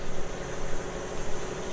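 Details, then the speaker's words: Newly installed shop air compressor heard from about 3 feet and then farther away; fairly quiet, steady low even hum, no knocks or rattles; running smoothly, normal. "So I'm standing, 3 feet from it. It doesn't sound too bad. It's fairly quiet."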